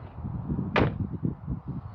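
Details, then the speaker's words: £1100 salvage Renault Clio from Copart; a door whose bottom bolt was loose shuts with a thin, hollow, tinny slap over a low idle. The owner debates whether it needs adjustment; the cause is unconfirmed. "They don't exactly sound very nice, these doors. I think it just sounds tinny."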